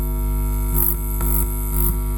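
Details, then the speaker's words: 400 W mono power amplifier with plain unshielded wires instead of shielded cable on the input, powered on: loud steady low buzz with no rhythm; ground hum picked up through the unshielded input. "Akan saya hidupkan power-nya. Woh, ng-ground, Guys."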